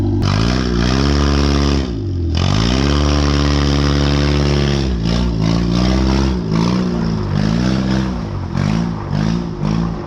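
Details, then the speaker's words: Honda CR-V trying to drive off: the engine revs up hard, then sags and labours in repeated pulls while the car doesn't roll. Both rear brakes are seized and locked up. "well appears both back brakes are locked up oh well"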